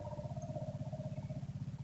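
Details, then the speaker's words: 1985 Ford F-250 6.9 IDI diesel with gelled fuel, electric lift pump priming the filter with the Schrader valve open: steady fast pulsing hum about nine beats a second with a mid-pitched tone, until diesel streams out. "Hear the pump change. Right now it's priming and it's filling up the filter."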